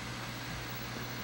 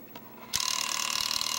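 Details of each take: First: Nintendo Wii after replacing the faulty disc drive (constant eject/latch problem): quiet, even whirring hum with steady low tone, no clicks or grinding; much quieter than before, drive running normally. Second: Wii console, case off, kept ejecting discs: at power-on the dusty disc drive's small gear mechanism chatters with fast uneven ratcheting, disc not drawn fully in and not spinning. Faulty disc drive loading mechanism; drive later replaced.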